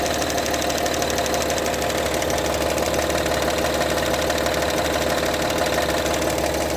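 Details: Honda Pilot engine at idle: an even idle with a sharp, regular knock about three times a second over the engine hum; cause of the knock unknown.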